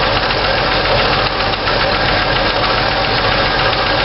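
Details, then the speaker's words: 1964 Chevy II running at idle during on-engine valve adjustment with hydraulic lifters: fast sharp clack-clack clatter when a rocker is loosened, quiet when tightened down, then more preload added; valves were out of adjustment, apparently cranked down too far. "loosen it up clack clack clack clack clack tighten it down quiet a little bit more"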